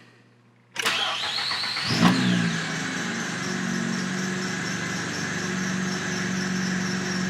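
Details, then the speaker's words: 2006–2008 Acura TL 3.5 V6 with misfire, starting after codes cleared and possibly flooded: high rising belt squeal for about a second at start, then steady idle; runs smoother, no more misfires. "Belts are chirping away. Nothing yet."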